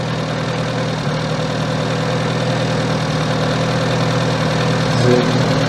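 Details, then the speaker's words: 1978 Austin Allegro 1300 Estate after valve clearance adjustment, with ignition timing retarded from about 20 degrees to roughly 8–10: steady, even idle, smooth regular beat, no misses. "Let's just [ __ ] the timing now. That sound better off."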